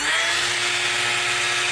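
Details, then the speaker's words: Inexpensive 3018 CNC with a newly fitted, faster-rated spindle motor, PCB isolation routing: a harsh, buzzy, high whir over a ringing hum while cutting. The new spindle motor resonates badly. "that is noisy though. Like it has a nasty resonance. And I heard that this was a noisy one."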